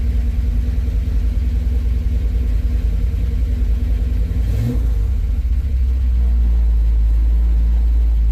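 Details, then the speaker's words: V8 with a newly installed Edelbrock AVS2 carburetor, timing adjusted, warmed up then partly cooled and restarted: deep steady burble rising smoothly to an even drone, no hesitation or popping through the carburetor. Normal running; timing may need slight tweaks. "there is no hesitation there is no popping through the carburetor it might need a little bit more tweaks to the timing"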